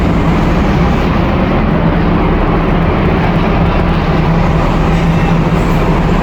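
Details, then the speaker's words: Supermarket AHU with a VSD-controlled fan, heard at the supply jet grills: a steady loud rushing roar with a low hum underneath and no knocks. Tenant fit-outs are incomplete and fan speed is to be reduced via the VSD. Excessive airflow noise. "So now we are having the trouble with the noisy sounds. This noisy sound it go inside to the supermarkets because our supermarket are opening now, and but some tenants are not yet complete installations."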